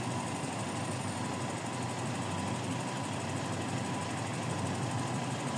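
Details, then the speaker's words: Toyota Revo 7K engine after idle issue correction and AC hi/low pressure adjustment: steady even idle hum with constant fan noise, no misses or knocks, idle automatic with air conditioning running; normal idle as compressor cycles. "Naka-automatic yan. Ayan, umaandar na aircon mo."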